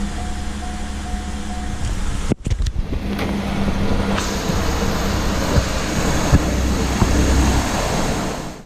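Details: 2008 Chevrolet Impala LT 3.5L (3500) V6, first start after timing cover oil leak repair with new water pump and belt drive kit, coolant refilled: engine catches after a short crank and settles into a steady, even low idle with no knocks or squeals; normal idle.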